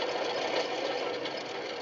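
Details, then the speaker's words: 1997 GMC Safari 4.3 L, idler/tensioner pulley spun by hand: dry, gritty rushing whir fading as it winds down; worn idler pulley bearing, replaced along with alternator for front-of-engine racket. "cuz that bearing obviously sounds like it's getting pretty bad and we'll see if we can get one of those too"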